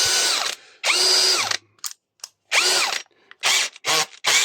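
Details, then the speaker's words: PSBSAP 20-Li C3 cordless drill after repair of gearbox slipping on both speeds, tested driving a screw: short bursts of high motor whine sweeping in pitch, running smoothly without slipping or grinding; normal operation. "on essaye au moins voir si ça débrille ou [Musique] pas mais écoutez nickel"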